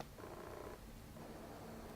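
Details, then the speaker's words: Commlite CM-AEF-MFT speedbooster with Canon 24-70 lens, autofocusing during video recording: faint continuous low buzz as the focus motor struggles and cannot lock focus; owner worried it could damage the motor, suspects face-recognition AF mode. "And I want to see if this thing will actually focus while recording video. Oh, it is struggling. You can hear it. The struggle is real."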